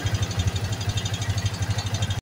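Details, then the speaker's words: Yamaha Vixion single-cylinder after rebuild for lost compression, cam chain not replaced: steady idle with fast, even light rattle on each firing pulse, cam chain rattle remaining. "Oke motornya sudah hidup ya di sini dan di sini masih ada suara keteng ya suara keteng karena ketengnya tidak diganti"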